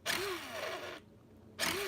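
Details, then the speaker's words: 2002 Tamiya Terra Crusher nitro RC truck with a low-compression engine, primed and glow-heated: two short cranking bursts where the starter spins up and sags without catching. The one-way starter bearing is slipping, and the engine was later judged cooked. "okay the one-way bearing is a slipper ill ill ill pull it'll pull eventually"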